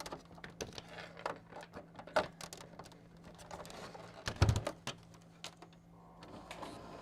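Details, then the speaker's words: Original Xbox DVD drive after repair, tray opening, closing and loading a disc: soft clicks and short motor whir, no grinding or stalling; tray working normally. "Closes now. Opens now. Closes. It's loading. It's reading the disc."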